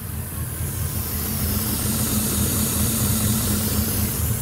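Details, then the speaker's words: 2006 Ford F-150 5.4L 3V Triton with a remanufactured engine, almost 300,000 miles, codes P2195/P2197 stuck lean. The hot idle is uneven and laboring with a steady hiss: a large vacuum leak the PCM cannot compensate for, with the O2 sensors staying low. "okay so classic signs of a large vacuum leak engines laboring especially at idle especially at a hot idle and we hear a hissing"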